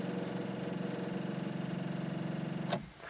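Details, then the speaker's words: Volvo S40 with a dead battery, key turned: rapid buzzing chatter of starter solenoid clicks, then a sharp click and silence; enough power for the dashboard but not to crank the starter. "it just basically means that well there is enough power to actually light the dashboard but there's not enough power to actually start um click into the starter motor"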